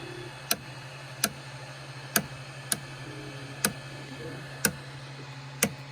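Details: Micro Swiss direct-drive 3D printer extruder, hot, with slowed extrusion: sharp uneven clicks about once a second over a low motor and fan hum; pushing filament from the roll side stops it briefly; gear screw ruled out.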